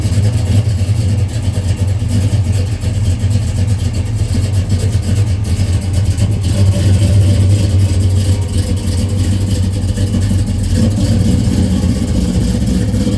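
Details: 1968 Chevrolet Chevelle, 454 big-block V8, 700R4 automatic, 3-inch stainless exhaust: deep steady rumble with strong low exhaust note and a couple of mild rev rises; running smooth and even.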